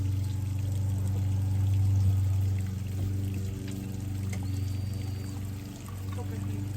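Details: Yamaha F90/F100/F115 outboard just after timing belt replacement, run on grass out of water: steady, even low idle drone with a neighbour's mower in the background; normal smooth idle.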